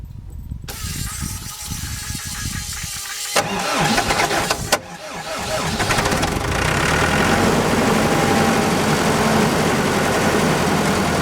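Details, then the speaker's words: ASV PT-100 forestry track loader diesel during fuel lift pump replacement, restarted to idle and warm up; cranks briefly, catches and settles into a steady, even clatter at idle with no misses or surging; normal start and idle. "oh that sounds good oh my greatness I'm so glad we got it going seems to be idling fairly well"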